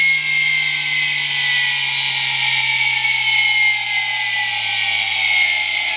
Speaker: hey viewers this time for cool sounds we've got a noisy motor noisy bearings